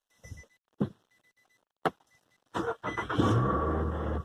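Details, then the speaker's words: 2007 Nissan Altima with key light on and no-start, steering lock bypassed by pulling one underhood fuse: chime and clicks, brief crank, catches right away into steady idle; normal start. "do you know it started up"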